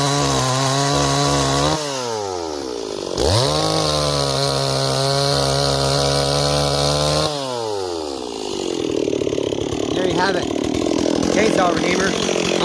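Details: Repaired Stihl 026 chainsaw, returned by its owner as a no-start; crisp revs climb cleanly to a steady high scream and hold, then bog evenly into the cut: runs strong and healthy.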